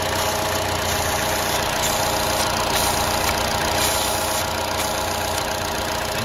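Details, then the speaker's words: GM Ecotec 1.4L engine in a Chevy Cruze at idle with the valve cover opening exposed: a steady airy rush over the running noise as air is drawn through the hole, indicating a failed PCV valve in the valve cover. "you can hear that air rushing through the hole there and that's not supposed to be happening so we know that my PCV valve in my valve cover is bad"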